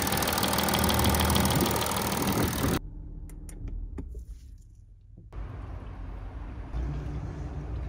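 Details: Audi 3.0 TDI third-gen diesel, A8 D5, before repair: idle with high metallic chatter over the steady engine note, consistent with worn camshaft sprockets in the timing chain drive; dealer had called it normal acoustic noise.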